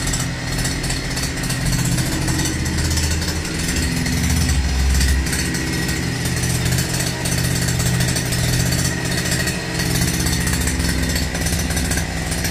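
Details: URAL MASH 5.7 hp brushcutter, first start and break-in, started easily on the first try: a steady, even buzz at constant speed with no misses or knocks. Normal running.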